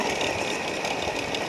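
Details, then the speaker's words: Ceiling fan: constant dry rushing whirr with a gritty edge and no rhythm change; bearing problem causing the noise. "Problem है इसका bearing का जो आवाज ए रही है प्रॉब्लम सॉल्व कर सकते हैं"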